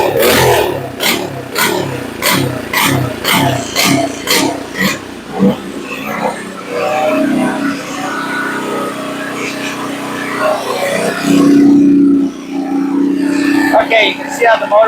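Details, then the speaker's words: Earthquake Versa tiller that sat a year, just fitted with a new carburetor: engine surges up and down at idle, a hunting harmonic, because idle speed was set too low and the governor kept cycling. "you could hear that harmonic when I first started it and you could see it was idling up and down and up and down and the reason it was doing that was the idle was set completely out it was set below what it should be"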